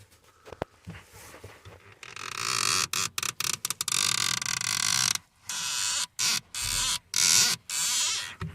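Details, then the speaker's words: Van pedal: bursts of dry, high-pitched creaking each time the pedal is pushed and released; traced to dried-up master cylinder pushrod/piston entry, possibly the pedal swivel joint; fix is lubricating spray. "So if we look down here where our pedals are, it's got a really annoying sound, especially if you're in traffic and you're just trying to move forward inch at a time."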